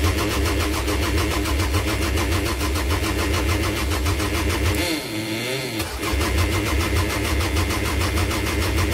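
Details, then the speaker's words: 1998 Toyota Camry no-start with fuel pump installed and confirmed spark, small fuel leak present: even starter cranking at about 100 per minute with occasional pops and a brief catch, but never runs. "maybe not so what next um we checked for spark last time we got spark we definitely have spark"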